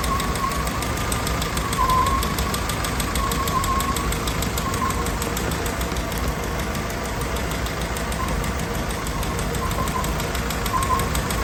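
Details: Willys Jeep CJ L134, fully rebuilt engine with rebuilt Carter WO carburetor, cold start idle; light, even ticking keeping pace with engine speed over a steady rumble; valve tick, owner says the valves need adjusting.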